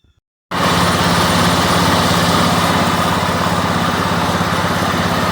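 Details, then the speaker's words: John Deere mower with a Kohler Command engine, after fitting a new carburetor and shaving it for clearance: fires up and settles into a steady, even full-throttle drone without surging, misses or knocks. Running properly. "As you can see, it's up and running."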